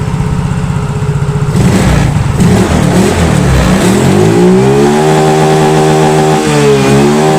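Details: Yamaha Mio Soul GT fuel-injected scooter, no MIL code showing, throttle test: engine picks up cleanly, pitch rising smoothly and holding steady with no stumble or knock; normal revving.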